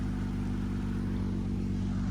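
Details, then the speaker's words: 2007 Saturn Vue, Honda 3.5 V6, AWD, 5-speed automatic, original exhaust at 359,000 miles, before repair; steady throaty idle with a rough breathy edge. Exhaust leak where the rusted pipe flanges bolt together. "today I had to order garage Saturn View has developed an exhaust leak where the white pipe bolts on to the next pipe down the system it's rusted away so we got some new parts let's fix"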